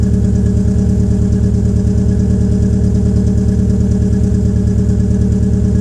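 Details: 2004 Peugeot 807 SR 2.0, EW10J4 RFN petrol engine, cold start with the rear silencer removed: a steady but lumpy, shaky low pulse around two beats a second. The owner attributes the rough cold idle to tight valve lifters, and it improves when warm.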